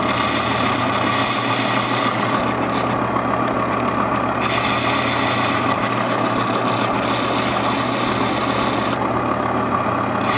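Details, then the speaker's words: Faceting machine, Madeira citrine lowered onto a lap with water drip, cutting the P1 tier: steady gritty rasp over the motor hum, pulsing as the stone bears on the lap; grinding sound means normal cutting contact. "I also move the stone back and forth as I lower the mast and when you hear the grinding you know you're touching the mast the mat the stone is touching the lap"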